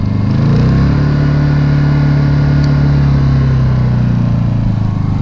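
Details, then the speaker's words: Honda generator out of eco mode, demonstrating how it sounds under heavy power draw; steady, fast, even drone with constant deep tone, no hunting or misses; normal high-speed running under load. "As you can tell, it's still running on eco mode. If it was using a lot of power, it would sound like this."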